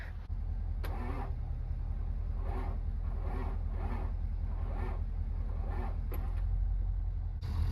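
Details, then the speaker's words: 7.3 Powerstroke diesel with 697,000 miles on the odometer (estimated 740,000 actual), cold at 29 degrees, on jumper cables: slow steady starter churning with no firing; truck appears dead, cranks but won't start. "This thing appears to be dead as a doornail, so we're gonna switch batteries here."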